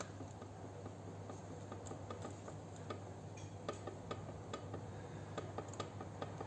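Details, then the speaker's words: Front suspension shock absorber with play in its rod: light uneven clicks over a low hum as the piston knocks against the wall inside the shock tube; the shock compresses smoothly but rebounds too fast. "A gente percebe um pouquinho de movimento aqui, mas o movimento maior é dentro do êmbolo do amortecedor batendo na parede do amortecedor."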